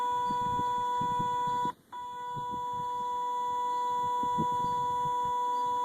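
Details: 2005 Kawasaki Brute Force 750 keeps making a steady, piercing electronic chirp after the key is off, seemingly from the brake actuator/belt area; cleaning and re-greasing the actuator gears didn't fix it, so the 30 A fuse is pulled to avoid battery drain.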